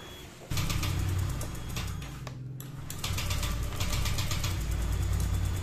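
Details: Honda Vario 125 LED that stalls, sputters and hesitates on throttle; original battery voltage sagged to 5–6 (weak), started on a borrowed Scoopy battery: uneven, stumbling, surging idle; still runs rough, ECU and fuel pressure checks next.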